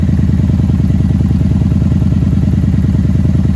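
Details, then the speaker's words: 1994 Honda Magna 750 V4 after carb float bowl drain and tank install, idle screw turned up slightly, choke off: even steady idle right at 1,000 rpm with no misses, hunting or clatter; normal idle. "I might have bumped the idle at some point cuz I just turn this up ah hair she's idling perfectly with the choke off"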